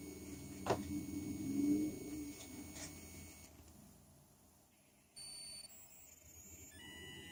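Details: PC audio recorded from speaker with high-gain input: thin, high-pitched whistles jumping between pitches over faint hiss, electrical interference in speaker output; owner wondered CPU or RAM, solved by using optical output to an external DAC.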